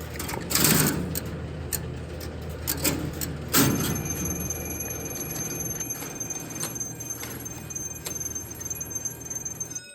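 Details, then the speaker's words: Electromechanical telephone central office marker timing circuit: pulse-dividing and counting relays click fast, about four a second, as they count interrupter pulses, with a thin high trouble-alarm tone over room hum. "the timing circuit itself contains a pair of pulse dividing relays here and several additional relays which count the Pulses from the interruptor and if we start the marker we can see the relays go"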